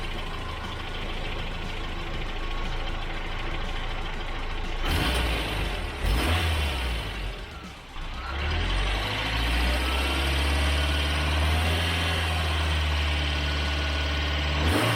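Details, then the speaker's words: Rebuilt Toyota 22RE four-cylinder with a performance cam and new rockers: after reseating backed-out injector connector terminals, it settles into a steady, even low idle with all four cylinders firing and no misses. "but a real quick push of the terminals and we've got ourselves a smooth running engine four injectors firing four cylinders doing what they"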